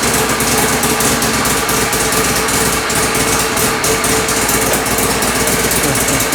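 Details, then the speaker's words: Mazda RX-7 rotary, fuel table being enriched: buzzy, snowmobile-like, ragged note that stumbles as revs build; ECU loses crank/RPM signal above about 1,800 rpm. "Oh, it's losing RPM signal. Yeah, once it goes above 1,800, it loses RPM. So, it's losing RPM signal up top."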